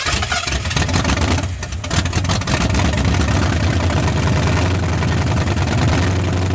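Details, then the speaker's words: 1981 Ford Mustang 5.0 V8 parked since 1996, started on a fuel bowl with 14-year-old oil, no radiator, near 50 psi oil pressure; even, steady burble with a slight rev, no knocks or ticks, sounding tight like a low-mileage engine. Normal running. "She's tight. It sounds like a fairly new engine."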